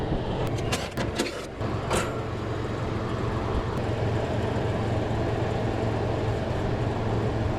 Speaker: I hear the condenser fan running. I do not hear a compressor running.